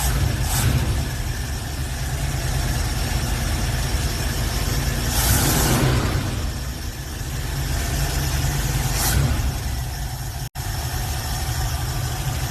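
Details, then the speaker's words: V8 in a hot rod with headers and an accelerator cable hanging by a thread that needs replacing: steady, even idle with a brief throttle blip, no misses or knocks; normal idle. "Still gotta get an accelerator cable because this cable wasn't gonna work and it was fucking holding by a thread. This thing's purring."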